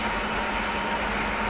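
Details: CNC machine: a thin high-pitched alarm tone with short gaps over machine hum as the lubrication system fails; lubrication fault alarm.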